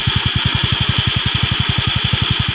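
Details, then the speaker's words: Yamaha Mio Sporty scooter at idle after replacing the flywheel bearing, which caused a metallic scraping at idle that vanished when revved. Steady even idle at about twelve firing pulses a second, no scraping or metallic rub: healthy. "Oh, wala na, oh. Wala na. Tahimik na. Wala na yung kumikiskis."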